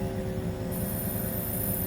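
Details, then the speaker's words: 1999 Newell bus HWH hydraulic slide system after hose fitting repair, engine at fast idle: pump drones low, then thin high hiss as floor/slide reaches end of travel; relief valve opening, normal. "there's a relief valve so we should be good there"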